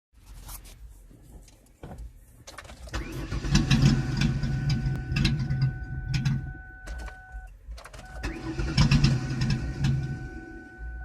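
Two long bursts of steady starter cranking, about four turns a second, with no catch or firing. The engine cranks but won't start. Cause suspected, not confirmed.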